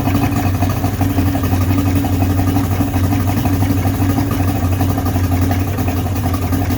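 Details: 55 hp Johnson two-stroke outboard after teardown and carburetor air-fuel adjustment: an even, steady low burble with no misses, knocks or surging. Running normally on all three cylinders, with no fuel leaking from the carbs.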